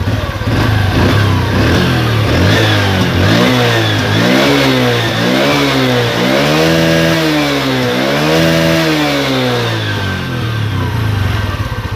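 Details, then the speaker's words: Honda Revo Absolute motorcycle after repair of rattling (worn piston, cam chain tensioner): clean blips from idle up and back several times, pitch rising and falling smoothly with no rattle or ticking; normal revving. "Tuh, halus banget, bro."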